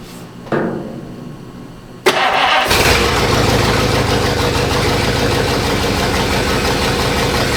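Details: 1953 Oldsmobile 98 Holiday hardtop, first run on its own fuel supply after carburetor accelerator pump priming and choke closed: a short crank, then it catches with a bang and settles into a steady, even idle with a firm low rumble.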